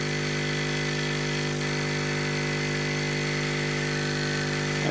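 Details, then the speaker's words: Hailea ACO-318 45 W laser air-assist pump running on a table: a steady, deep, buzzy bass hum with loud vibration that never changes pitch. Suspending the pump barely reduces it. "any pump that makes a reasonable pressure is going to make a noise but this gives of a bass type noise which really aggravates my ears"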